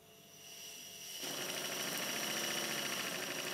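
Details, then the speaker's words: New Stuart Double 10V model steam engine run on 50 psi compressed air from a Stuart 504 boiler: hiss, then quick even chuffs about three and a half per second settling steadily; still slightly tight but running well. "and off it goes the engine's still a little bit on the tight side but it runs quite well"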